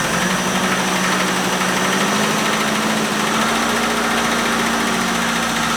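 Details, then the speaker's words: 1973 Opel 1900 (Ascona) abandoned for years, first start after fixing no-spark (ignition running through two resistors, points confirmed sparking); holds a steady, fast, even idle with no misses, stumbles or surging, running cleanly. "hey chefs sounds good i don't know i mean that would run so it's worth like significantly more"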